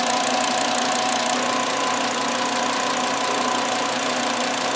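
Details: 2009 VW Jetta 2.5L that had a flashing check engine light and severe misfire, after replacing the cylinder 2 ignition coil with a secondary winding fault: even, steady idle with a faint valve tick and no stumble. All cylinders are firing.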